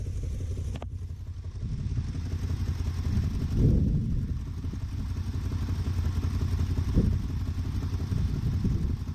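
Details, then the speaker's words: Dodge Ramcharger just restarted with choke pushed in, idling lumpy and uneven with irregular low beat and heavier thumps; plugs show even tan burn; owner suspects an unfound vacuum leak near carburetor/vacuum lines, possibly an exhaust leak. "Okay, so we're running. It's still running a little rough. There's some kind of vacuum leak or something that I cannot find."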